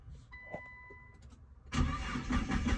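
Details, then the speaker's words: Nissan GT-R R35 with code P1220 (fuel pump module), tester light on the fuel pump cables: quiet pause, then steady rapid cranking that never catches; no pump power, crank no start from a blown fuel pump fuse. "Okay, if you don't see any power from here, it's probably because you have the fuse blow or the fuse broken."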